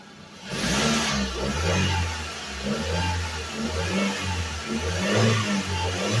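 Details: Suzuki Vitara revived after sitting 13 years: rough uneven idle with a couple of revs lifting the pitch then settling back; engine runs and responds to throttle.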